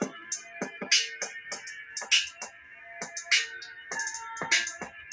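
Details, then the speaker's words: NEWVEW NV-T229BT solar kit speaker after repair: music plays cleanly with crisp beats and highs and no rattle; the rattle was caused by an offset rubber surround touching the plastic. "I can't hear that rattling anymore"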